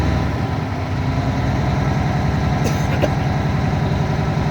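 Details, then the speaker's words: UPS truck diesel at idle during pretrip air brake tests, pressure rebuilding after brake application: steady even idle with regular compressor chugging; normal. "anytime I got to check one of these, I got to make sure that my air pressure is completely built and I hear the governor kick off before I can try to test it. So as you can see, I can see the air pressure going back up."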